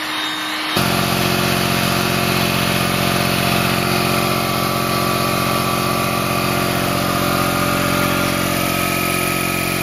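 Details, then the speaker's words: Quincy QT-54 single-phase 220V two-stage air compressor, new install in an unheated garage in cold weather: steady loud drone with an even low thump about three per second, labouring and strained; owner suspects the cold and may need a block heater. "you didn't like that she did not like that try one more time that kind of sucks I'm not real keen on this yeah she's not happy"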